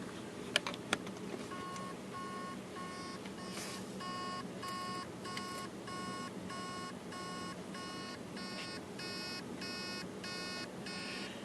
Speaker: can hear the beeping noise that's basically the mortar is trying to start the platters and it can't and it's most likely because the heads are stuck on a platter